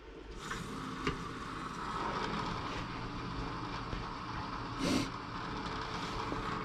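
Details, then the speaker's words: Outdoor wood boiler circulator pump, newly replaced: steady, low, even hum with no rattle, knock or grinding; pump running quietly and healthy, GFCI not tripping. "good nice and quiet i haven't tripped that gfci yet it's a good sign"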